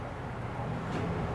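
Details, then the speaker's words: 2022 Keystone Cougar 290RLS travel trailer rooftop AC unit in fan mode switched from low to high: steady even low whoosh and hum, no knocks or rattles; fan running normally. "Fan would just run the fan in the unit. You can hear that turn on to low. You hit it on high."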